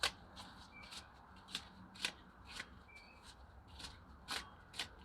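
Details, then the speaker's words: Jaguar XJR supercharged engine, removed main drive belt tensioner pulley turned by hand: dry, gritty clicking and rattling, about two ticks a second, from rusted, failing bearing balls; a pulley bearing had already broken apart. "this one here had rust and if you turn it you can hear the bulbs inside making noise while the bearing ball is making noise so this is no good"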